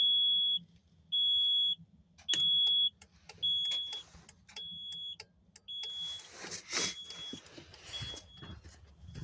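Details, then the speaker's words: 2005 Kenworth T800 after flasher relay replacement (old one failed from water ingress, no hazards or turn signals): crisp, even ticking with a high beep, about 53 a minute; flasher relay working normally. "obviously you should hear that uh that relay ticking like it does right here mine did not"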